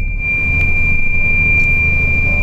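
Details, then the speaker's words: Long-haul truck on a cabbage run near Iwate: a steady high-pitched low-coolant alarm holds over the cab rumble; the driver suspects low radiator water despite checking before departure, and plans to stop and top up from a spare bottle. "これちょっとラジエーターの水不足だと思いますんでちょっと水量確認して補充する水があれば多分あると思いますわかんないけど"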